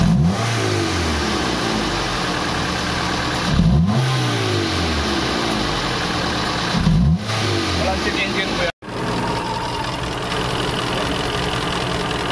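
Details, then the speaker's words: Toyota GLI 4A-FE engine with hard starting, idle rising cold and dropping hot, stalling on shifts: revved, a busy uneven clatter on one side rising with revs; cam sub gear suspected. "pero yung side na to dito ko lang naririnig maaring sub gear na yung problema diyan"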